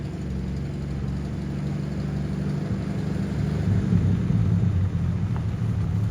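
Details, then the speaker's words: Toyota FJ40 with 77,000 miles, carburetor due for rebuild: low, steady rumble with an even beat and no misses, knocks or ticks; runs smooth, needs minor adjustment, engine seems healthy. "You can hear it runs real smooth right now. Needs a little bit of adjustments, but I kind of feel like that engine might be healthy."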